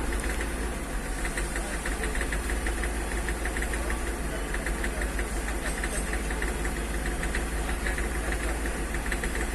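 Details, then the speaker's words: Hyundai Xcent diesel knocking about three times a second over a heavy rumbling drone at around 2000 rpm after the accelerator is released, with misfiring and heavy white smoke; scan shows no engine fault, injectors already replaced and pump checked. "े के बाद देख सकते इसका RPM बढ़ गया है RPM देख सकते 2000 के आसपास चला गया है और इसका इंजन नॉकिंग कर रहा है क कड़ क और वाइट स्मोक मार रहा है"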